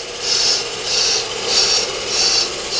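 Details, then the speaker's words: Accuturn brake lathe resurfacing a brake drum, automatic feed dragging cutter back across drum: high scraping hiss swelling and fading about every half second as drum turns; normal clean, even cut. "flip that switch over and that's going to turn this on to automatically drag our cutter back across the drum you should hear it cutting the drum is coming back"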